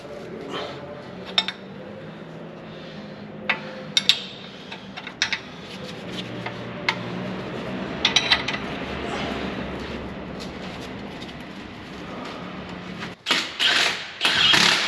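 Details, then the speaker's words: 2022 Jeep Gladiator Rubicon front suspension: sharp metallic clicks while turning slowly over uneven pavement; clunking suspected from a loose bolt found while tightening, unconfirmed. "on this one you can actually feel s a little bit loose so hopefully that was all our culprit [Music] oh you can hear it clicking"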